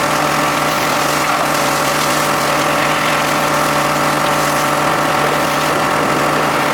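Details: John Deere X540 mower that came in crank-no-start with no spark, idle about a year; both coils found dead, failed module swapped. Twin holds a smooth, even idle with steady exhaust pulse, no misses or stumbles: normal running after repair.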